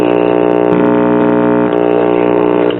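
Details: Early-to-mid-1960s Trutest Stereo 8 series-string tube amplifier with a hot chassis. A constant buzzing drone with stacked higher tones stays unchanged, still present after grounding the signal jacks to chassis through a capacitor. Mains hum, suspected ground-loop cause unconfirmed.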